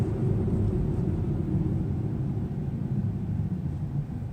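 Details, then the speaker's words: Hyundai Solaris front left brake, which developed a dull knock a day after a car wash; after sanding off dried residue, only a smooth low road rumble while braking, no thumping or grinding, quiet braking. "этот звук вообще ушел который был страшно на видео"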